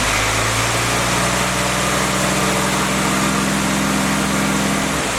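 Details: Freshly rebuilt CJ5 snowblower Jeep F-head four-cylinder, original cam, held at raised revs for break-in: steady even run, no knocks or ticks; normal break-in run, only a small coolant leak at the block drain cock noted.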